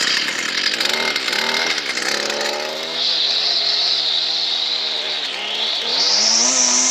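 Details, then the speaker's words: Stihl FS 38 trimmer, run on choke then half choke, with a fuel hose that was bubbling: high buzzy two-stroke note climbs steadily with throttle and holds clean without stumbling; runs fine. "um so as you can see there's nothing wrong with that just wants a bit of a clean up and i will address that fuel hose and i'm happy with that"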